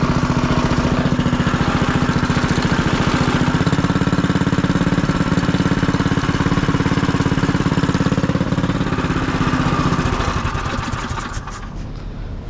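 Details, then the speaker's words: Small single-cylinder engine on first start after side-cover gasket replacement, fresh oil, new torque converter and air filter fitted; steady even putt about three beats a second, then clean shutdown, no misfire. Normal running. "But dude, she is running. This is great news. Awesome news. Don't mind the background noise, but engine's running."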